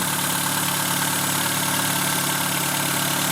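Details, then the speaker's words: 1997 Renault Twingo 1 petrol engine idling after alternator noise fix and reconnecting the battery, no battery warning light: smooth, even steady hum with no whine or knock, normal sound. "Et voilà, ça fait un bruit normal"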